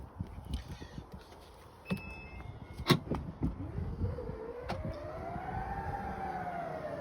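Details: 2016 Range Rover Evoque HSE with aftermarket power tail lift kit fitted, after adjusting soft-close so tailgate shuts flush: brief beeps, then smooth motor hum rising in pitch as tailgate powers shut; working properly.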